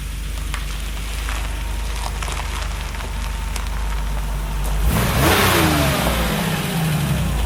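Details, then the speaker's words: 1977 Porsche 911 air-cooled flat-six after months of hibernation, fresh oil change, new oil cooler hose and battery; smooth even idle then a clean rev climbing and falling back without knocks or misses; sounds smooth and good. Normal revving. "Man, that thing is smooth even with those old crusty wheels. Thing sounds good."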